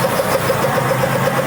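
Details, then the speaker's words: 1966 Ford Mustang project at first start after sitting, fuel pump working and antifreeze possibly low: a fast, regular ticking sizzle at about eight per second over a steady idle; the source of the sizzling noise is unknown. "Like a sizzling sound."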